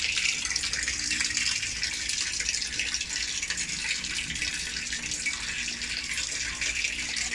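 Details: LG automatic washer after a repair underneath near the motor, where water had kept filling and draining out: steady rushing fill with the water now being held, set to a very low level. A normal fill; a loose gearbox was also noted.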